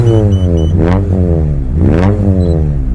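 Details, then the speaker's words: Mitsubishi Lancer CK4 petrol engine with a faulty air flow sensor (MAF) is repeatedly revved and let fall, kept alive on the throttle around 2000 rpm; released throttle makes it stall instead of settling to idle. "ว้าวววปรากฎว่าถ้าปล่อยแก๊สดูเหมือนเครื่องยนต์จะดับอีกค้างเลยหรือจะพยายามเก็บไว้ที่ประมาณ2000RPMก็ลองใช้ดูครับ"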